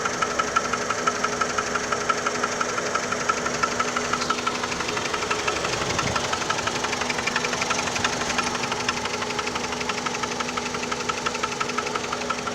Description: Can someone tell me what the knocking is on my 02 pt cruiser ?